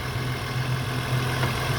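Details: 2001 VU Holden Commodore Ecotec 3.8L V6, hot after swapping the 82°C thermostat back to a standard 90°C one for poor fuel economy, temperature readings judged not bad: quiet, even low hum, no ticking, hunting or roughness, a normal warm idle.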